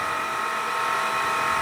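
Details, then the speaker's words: Grundfos JPF/JDF jet pump, about 400 W, installed nearly 20 years ago: loud steady run with hard whining ring and rough hiss; worn bearings, to be replaced. "dan sekarang suaranya keras sekali ini akan saya bongkar untuk mengganti wafernya"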